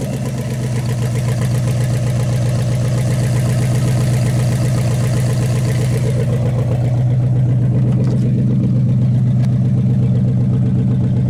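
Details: 1956 Studebaker Golden Hawk V8 at its first start in 50 years, steady, even idle burble with no knocks or misses; carburetor and mechanical fuel pump working well, with some fine tuning still to do.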